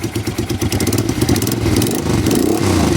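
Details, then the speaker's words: 1988 Honda Bros 400 V-twin motorcycle, carburettor main jet checked: an uneven lope picks up cleanly into a smooth, strong rev; it previously faltered at about 6,000 rpm but now revs to the limit without stumbling, running healthy. "e namamali yan pag pinirit mo nasa 6,000 rpm mali yan ngayon okay na kahit biritin mo siya ng sagad"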